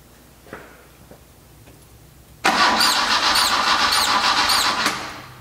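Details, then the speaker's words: Carbureted engine restoration, serpentine belt ruled out: high chirping squeak repeating about twice a second on one cylinder's stroke; a hose stethoscope traced it to the number three intake port, suspected carburetor-to-rubber-mount-to-intake joint, not the head. "did you hear that they squeak squeak squeak once again if you really think about that everybody has always thought that that was a belt and I knew it wasn't a belt cuz it's our serpentine belt system and it's never made a noise"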